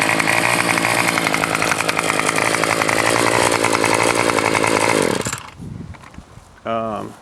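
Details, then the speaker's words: Troy-Bilt TB 225 two-stroke swapped onto a tiller after the previous engine failed: loud, buzzy, steady high-speed running for five seconds, then shut off; smooth and healthy. "there you go guys it runs fine that engine was eight dollars"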